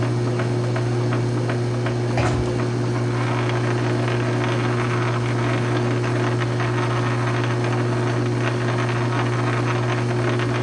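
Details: South Bend 9-inch lathe converted from Model B change gears to Model A quick-change gearbox, slow test thread cut; steady low gear hum, even motor drone, faint cutting scrape, no knocks or grinding, thread pitch correct: normal running.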